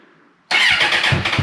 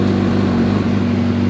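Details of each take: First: Suzuki Bandit 650S barn find that sat 2 years, first start after freeing the seized clutch and an oil and filter change, battery trickle-charged, choke on, clutch held in: a quiet crank, then it catches and stumbles through uneven, lumpy beats; hard starting after storage. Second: Suzuki Bandit 650S barn find, sat two years, battery trickle-charged, just started on choke with clutch held in: even, steady engine note, smooth low drone, no knocks or misses; running normally, clutch cable still needs adjusting.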